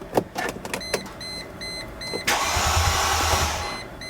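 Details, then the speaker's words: W210 E320 wagon with swapped M113 V8, first start attempt, fuel pump fuse number six pulled, V6 radiator hoses, auxiliary water pump unplugged; steady churning crank about a second, no firing, repeating warning chime: normal cranking with fuel cut. "okay so I just talked to the Mercedes swap shop and apparently everything I'm experiencing is totally normal"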